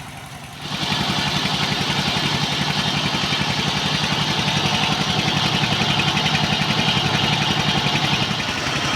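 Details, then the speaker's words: Single-cylinder S-1115 diesel driving a rice mill, symptoms thick black smoke, high fuel use, radiator overheating: slow heavy thudding beat about 220 per minute, labouring under too-strong mill load though throttle not high. "इसे देखने के बाद पहला परीक्षण यह पता चला है कि इस चावल मिल के लिए गैस बहुत अधिक नहीं है, लेकिन लोड इतना मजबूत है कि डीजल इंजन स्वचालित रूप से गैस का उत्सर्जन करता है, देखें, आप इसे ध्वनि से सुन सकते हैं"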